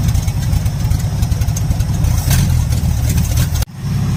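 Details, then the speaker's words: 1977 Ford F-250 SuperCab, first runs since 2021, no exhaust pipes fitted: deep, loud, rough unmuffled idle rumble straight out the open exhaust manifolds, like open headers. "but yeah this thing sounds like a race car it's so loud it's basically open headers or open exhaust manifolds"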